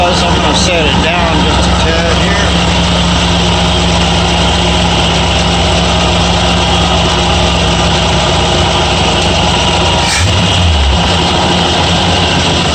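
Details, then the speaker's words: Ford F100 with 2-barrel carb after days fighting surging: steady even idle with smooth low rumble, still slightly high, settling a bit lower near the end; not surging or smoking; normal idle. "no nice surgeons not smoking at all i think after a couple days of fighting with this that's the way it should be idle's still kind of high"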